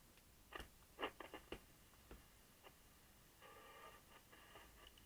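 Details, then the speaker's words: Japanese Regentone portable transistor radio circa 1963–64, rescued from scrap, under test: irregular sharp pops and crackles; a decoupling capacitor is suspected, also noisy worn controls needing contact cleaner. "all right it's still bit noisy Pop's there that could be a d-cup in cap Palicki"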